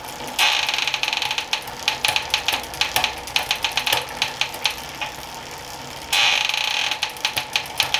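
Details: Planet X Pro-Carbon road bike in the workstand during a gear check: crisp clicks as the chain steps across the sprockets, with light freewheel ticking between shifts. The gears work, though the rear shifting is a little sticky.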